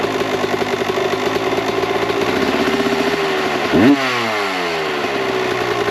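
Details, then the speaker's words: 1998 Kawasaki KX125 two-stroke, rebuilt OEM carb on stock jetting (believed 42 pilot, 160 main) with stock settings: burbly, uneven idle that blubbers through a quick blip before settling; too rich, too much smoke, so jets are being reduced to 38/158. "The stock jetting of 42,160, I believe were the numbers, was a little too rich, too much smoke, and better on the fueling than what we had before, but still not perfect."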